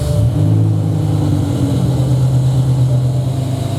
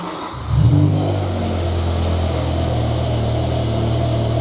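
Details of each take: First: BMW E63 M6 with S85 V10, freshly started, idles with an uneven lumpy beat and exhaust-pulse dropouts, service engine soon lit and running on half the engine (safe mode); misfire traced to failed cylinder 9 ignition coil (driver side). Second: BMW M5/M6 S85 V10 after replacing the failed cylinder 9 ignition coil: catches at once and settles into a smooth, even idle with no stumble; misfire codes cleared.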